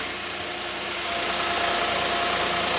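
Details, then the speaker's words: 2015 Hyundai i10 1.0 litre after timing chain replacement, first start: even, steady idle with a faint constant whine; chain tensioner rattle gone once it filled with oil, and the earlier shushing noise is gone or much reduced. "it solved the problem ah but Mar it only last until after te yes so that's yeah the shushing noise is gone the shushing noise has gone there is a little bit of a wine"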